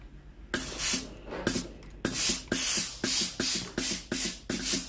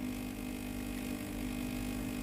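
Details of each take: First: Philips GC9622/20 steam iron after testing the water pump (customer reported no steam): sharp hissing steam bursts about twice a second over a low pump buzz, steam now normal, though the steam switch is faulty and will be replaced. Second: Philips GC9622/20 steam iron, plugged in and switched on: the water pump buzzes steadily but delivers no water from the tank into the boiler, so no steam comes out; the pump is faulty and gets replaced.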